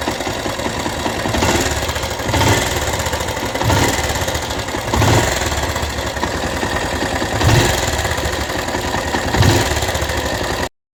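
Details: Rouser 180 motorcycle after long storage, started after cleaning a very dirty carburetor and finding lots of water in the tank: rough idle with busy clatter and a louder surge every second or two; abnormal mechanical noise, cause not pinned down.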